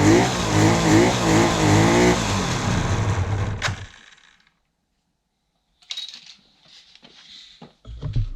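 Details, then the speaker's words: 1976 Suzuki GT750 two-stroke, first run in 30 years: fires and revs in uneven surges for a few seconds, then dies, won't hold idle; very smoky, air bubbles seen in the oil lines, needs more running. "I would say that is a very good sign for this old girl. I'm quite happy. Finally, something's come of it."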